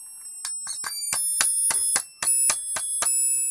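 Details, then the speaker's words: Cheap electronic burglar alarm kit with the inductor's short pin in socket 20: suddenly much louder, with high alarm pulses about four a second jumping in pitch and loudness and cutting out; the builder suspects bad connections. "God this thing got really [Music] loud what is that oh there's some really bad connections in here because the oscillator"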